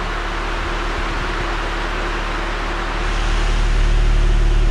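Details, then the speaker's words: 1999 Honda Prelude at idle just after the factory catalytic converter was replaced with a Megan Racing test pipe, joint sealant still smoking, in rain: a steady, even low exhaust drone rising slightly, with no rattle and little louder than before; a healthy idle. "all right so after like two and a half hours of fighting the car it's on it's not much louder at all"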